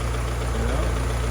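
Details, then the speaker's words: 1949 Willys Overland Jeep freshly rebuilt engine on first start, with valves adjusted and timing set beforehand: deep, steady rumble with an even firing rhythm and no knocks or ticks; runs well, normal idle. "We follow the instructions in the manual, and now we have a good running motor. It sounds very good."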